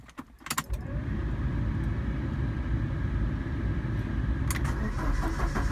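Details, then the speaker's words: Ford Escort MK5a Cabriolet project car, started with the battery on and fuel in it, no exhaust fitted: keys rattle, the starter turns, then it catches into a loud, uneven, lumpy rough run. "Lumpy, no exhaust, but it's running."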